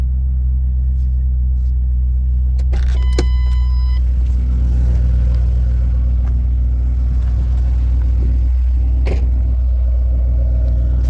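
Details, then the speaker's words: 2009 Mustang GT 4.6 V8, 98,901 miles, new cams about 500 miles in, heard in the engine bay: deep, steady idle rumble with no lifter tap or valvetrain clatter, only loud injectors; running smooth and even. "here's the engine bay which is I can hear there's no more lifter tap all you hear is just the uh injectors the loud injectors"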